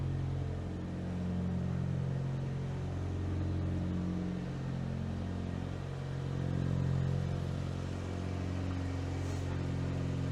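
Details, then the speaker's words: Imported 1990s JDM car, throaty idle with a loud back box, chugging unevenly, its beat lurching and swelling from a misfire. "Don't know if you can hear, but she kind of chugs away. It's a bit of a misfire in it."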